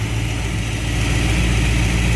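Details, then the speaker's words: V8 with freshly rebuilt Thermoquad carburetor, fully warmed up: deep, steady burble at warm idle with even pulses, no stumble or miss, vacuum still steady; idling cleanly. "All right, let's get it warmed up. See what it does. All right, so it's completely warmed up."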